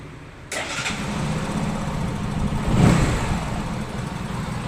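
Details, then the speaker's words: Engine starts within half a second and settles into a steady low idle without dying after the throttle body was replaced; before the replacement it died as soon as the throttle was released. Normal start and idle. "guys umandar na Guys may Menor na guys Ayaw na mamatay niya"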